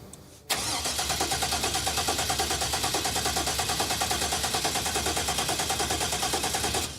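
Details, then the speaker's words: 1986 Pontiac Firebird Trans Am with an aftermarket ECM wiring harness: steady starter cranking at about three pulses a second that never catches. The fuel relay clicks, but the pump is not heard pumping (it was heard earlier with an empty tank). Crank, no start, no fuel delivery. "I heard it earlier when there was no gas in the tank, but now I don't hear it. The pump's not pumping."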